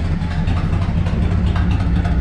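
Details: 1984 Chevrolet K20 4WD farm truck parked in a shed for years, idling at its first start with a straight-pipe exhaust: a deep, loud, lumpy rumble at a steady idle with no muffling. The clutch is reportedly bad.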